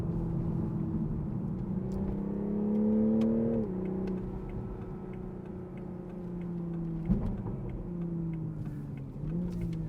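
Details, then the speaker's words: 2021 Toyota Supra GR 3.0 Premium, 3.0 inline-six, driven hard: a strong pull rising through the revs, then crisp rev-matched blips on each downshift; a healthy, eager exhaust with sharp throttle response. "but you're probably not buying this thing for mpgs you're buying it for that uh exhaust and throttle response"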